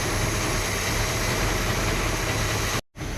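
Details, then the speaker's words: Classic muscle car V8 at idle, 520 rpm on tachometer, gauge reading about 8 psi: low, slow, steady rumble with no knocks or misses; engine sounds healthy. "We're running at 520 RPM according to the tachometer. So the RPM is low and close to the target window."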